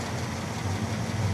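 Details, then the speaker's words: Old abandoned California car on a 1500-mile drive, right after replacing a fuel filter full of brown stuff: low, steady idle with an even rumble, no misses or knocks; gauges look good; normal idle. "She likes that new fuel filter. The old one was full of brown stuff. Oh, she's running great now. Wow. Sounds good. Sounds good."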